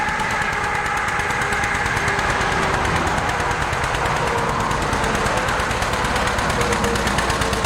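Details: 1947 John Deere B two-cylinder tractor, warming up: sharp, uneven popping exhaust beats about three per second instead of an even putt, running on one cylinder; spark plugs were changed afterward.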